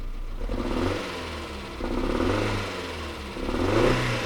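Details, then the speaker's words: 1992 Toyota MR2 Turbo Japanese import, engine bay: engine blipped three times, the exhaust note stumbling and popping unevenly as revs climb; misfire under throttle, and it also sounds like an exhaust leak. "So it sounds like an exhaust leak too if you listen to it."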